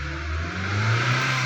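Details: 2016 Hyundai Elantra: steady low engine-bay hum over an even engine note, rising a little with revs; source not pinned down, steering pump mentioned as a possible cause, unconfirmed.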